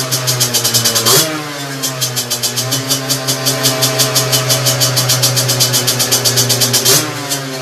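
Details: Two-stroke moped with 17.5 mm carburetor on test bench, needle reset to correct position, clip at bottom; crisp rev blips snapping back to steady even idle on their own; carb set right.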